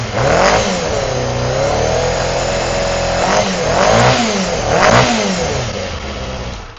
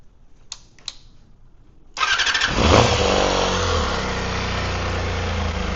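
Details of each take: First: Honda CBR250RR MC22 four-cylinder carbureted engine after a misfire diagnosis that found two misfiring cylinders: revs up and down cleanly with a smooth, even high-pitched note; running healthy, though the carbs may still hold some muck. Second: Honda CBR250RR MC22 four-cylinder carbureted motorcycle with quiet exhaust, carbs already cleaned, starting and idling unevenly with a stumbling exhaust pop; misfire later traced to two separate cylinders.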